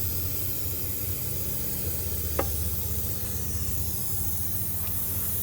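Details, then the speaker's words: Polaris Trail Boss 350 quad, hot after hard riding: steady hiss like steam over low idle, antifreeze smell; coolant shooting out around the short hose elbow into the head, believed split. "it looks like it's shooting out around side the hose I think it's split yeah split I think so"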